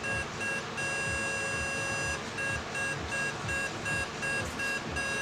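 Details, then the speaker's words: Hyo Myung light signal column electric horn PCB card after repair (components replaced, unit cleaned), bench-tested on 220V AC and 24V DC with a simulator: a steady, clean two-tone alarm beep at two to three pulses per second, working normally. "By turning on the power supply the unit reacts and we can hear the alarm sound from the simulator."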